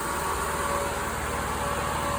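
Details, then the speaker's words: 1999 Jeep Cherokee XJ with newly installed triple electric fan shroud, at operating temperature after 5–10 minutes, gauge just under 210°F: two fans on, steady even rushing air with faint hum over quiet engine, no rubbing or wobble, normal cooling fan operation. "it's up to operating temperature so both of these two fans are going that one over there is not yet but uh yeah she's been running for 5 10 minutes and fans just kicked on"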